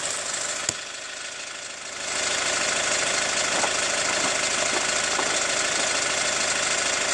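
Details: Hyundai ix35 CRDi 136 hp diesel, warm, recorder placed on the wheel: sharp regular tapping speeding up with throttle blips, sound gets ringier with throttle; chain damper tensioner replaced 1.5 years ago, dealer found nothing; hot-engine knock of unknown source.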